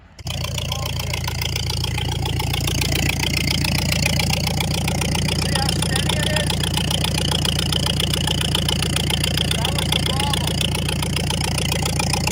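After the start, the engine settles into a steady, even idle with a regular beat and no misses or stumbles.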